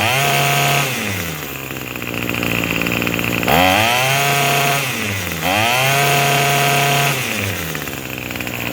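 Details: Craftsman 27cc two-stroke string trimmer, made January 2013 and obtained free: it revs up and drops back to a steady idle several times, picking up cleanly each time; normal running and idle, sounds pretty good, though it is smoking.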